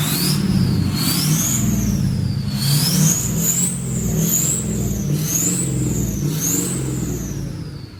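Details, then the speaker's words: Abandoned Ford F550 diesel truck after lift pump fix, throttle blips: clean rising and falling turbo whistle over a smooth diesel with no knocks or engine noises; normal revving with turbo spool. "And also the truck is running beautifully. It's not falling on its face, nothing. It's all perfect. We don't hear no noises coming from the engine."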